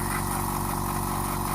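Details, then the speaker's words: Oil-free air compressor with a slow tank-fill problem, running after checking and refitting the intake air filter. Fast, even chugging with no knocks; it runs normally, and the gauge reaches 60 in under a minute. "นี่คือเสียงเครื่องปกติครับผม"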